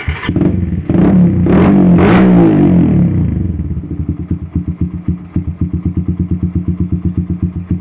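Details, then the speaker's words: Carbureted motorcycle with fuel vacuum valve after repair: revs up cleanly and settles to a steady, even idle, no more stumbling at low and mid rpm; cause was a faulty fuel vacuum valve making it run too rich. "Nah teman-teman bisa kita dengar sendiri untuk suaranya tidak brebet lagi ya seperti tadi sekarang di bagian gasnya pun normal"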